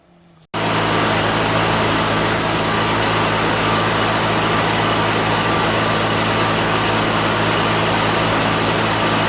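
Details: Toro 616Z zero-turn mower twin, which sometimes ran on one cylinder (left suspected dead, maybe a stuck valve loosened): starts, then holds a loud, steady, even hum with no misses; both cylinders working, normal running.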